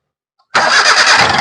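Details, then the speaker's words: Hyundai Eon after no-start fault fixed by restoring alternator earth connection: quick crank, engine catches at once, settles into steady even idle, no stumble. "Correct ആയിട്ട് തന്നെ വണ്ടി start ആണ്"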